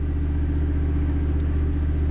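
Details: Standby generator running after the transfer switch moved the load over, which confirms gas supply while troubleshooting a Lochinvar boiler that locks out on low air; steady even low hum with no surging, knocking or dropouts.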